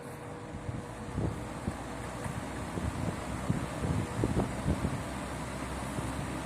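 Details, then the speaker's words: 1960s Wizard reversible box fan with a 2-speed oil-port motor, running on high in a window: a steady, soft airy rush with no knocking or rattle; well-balanced blades, running normally. "This fan is very quiet. Love the way that it sounds."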